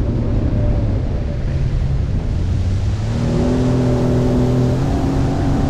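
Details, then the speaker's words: 2005 Sea-Doo RXP, very high hours, after swapping from learner key that limited it to about 5300 rpm: strong low roar that climbs in pitch, reaching almost 7900 rpm and about 67–69 mph; runs normally, stock performance. "all right so it went 78 almost 7900 RPMs I saw like 67 69 mph somewhere that perfect won't stock that's how that's how fast they go"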